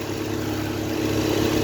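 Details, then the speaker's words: 2022 Hyundai Grand i10 Nios petrol, idling with AC on: light constant burring hum from radiator fan motor; engine vibration appears only with AC on, fan motor suspected and disconnected for checking. "Fan motor ఉంది కదా ఓకేనా ఈ fan motor చూడండి light గా బర్రన sound వస్తాఉంది. ఇదే complaint చూడండి"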